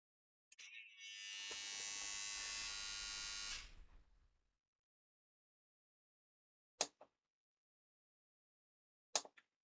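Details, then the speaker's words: Sony MCH-M333NT Net MD mini hi-fi, MiniDisc mechanism (disc possibly stuck inside): high thin motor whir about three seconds spinning freely without load, then clicks; owner thinks MiniDisc needs new belt, slipping drive belt. "I think, making that noise. So it sounds like the MiniDisc needs the belt."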